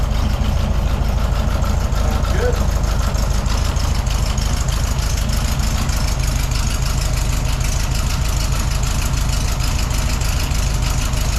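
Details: 1972 VW Beetle flat-four on a test drive after the mechanic adjusted the valve clearances to free valves that had locked and caused a no-start: even, steady idle with a regular low chuff, no misses or knocks.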